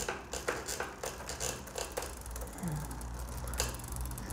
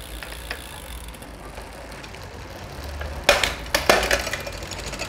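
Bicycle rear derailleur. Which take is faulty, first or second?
first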